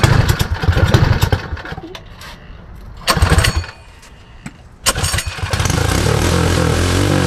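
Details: Predator 224 Hemi (Max Performance build) on Mega Moto minibike, first start since the build: sputtering bursts while cranking, then steady even single-cylinder idle; runs well, though carburettor suspected of flooding and leaking fuel (stuck float or needle).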